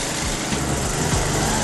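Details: 1990 Toro GTS lawn mower small single-cylinder engine, first start after transmission repair; runs at a steady, even speed with no knocks or misses; mower sounds healthy.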